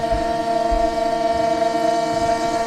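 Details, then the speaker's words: Motorhome water pump running flat out while cleaning the tanks, feeding several T-outlets at once: steady loud electric whine with a buzzing pulse, labouring noisily; owner wonders if it's on the way out, but it still pumps. "That pump's making a right racket. I don't know if it's um on the way out, but at least it's pumping stuff through."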